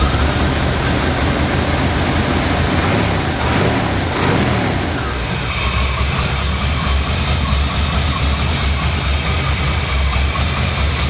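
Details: 1982 K30, 454 V8, 4-speed manual, after pulley and belt work to cure a bad belt squeal: even, low rumbling idle, slightly rough, with no squeal or chirp; running normally.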